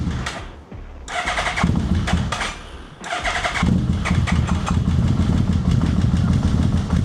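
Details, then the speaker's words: Yamaha VMax carbureted engine, cold start after coolant refill to burp radiator: cranks, sputters and dies twice, then rough uneven idle until choke added, then runs happily; hard cold start. "All right, fine, I'll give you some choke. There it goes, now it's happy."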